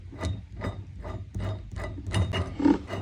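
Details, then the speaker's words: 1964 Ford Galaxie rear axle bearing, removed and spun by hand, the driver's side thought to be the good side: rough, ratchety scrape repeating about two to three times a second, gritty; likely bad. "I'm not sure what that means. I think it means it's bad."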